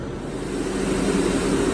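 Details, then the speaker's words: Beko refrigerated compressed-air dryer with a blank display, its cooling fan unplugged and capped and a Milwaukee fan blowing on the condenser, chiller at 37°: steady, even air whoosh over a low hum; runs normally, cooling fan needs replacing. "Uh cooling fan is unplugged and capped off. And got my little Milwaukee in front of the condenser. And this guy's happy."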